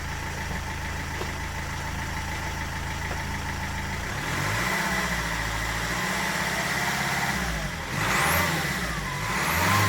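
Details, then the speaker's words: Land Rover Freelander TD4 2.0 BMW diesel after crankshaft pulley replacement for engine knocking: quiet steady idle and clean smooth revs with no knock or clatter; engine sounds healthy. "away that sounds much better i can't remember the last time it was that quiet actually"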